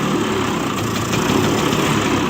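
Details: 24-year-old 1996 Bajaj Classic scooter started cold after 4 years standing: steady, busy idle with fast popping beat, no knocks or misses; running evenly, normal idle.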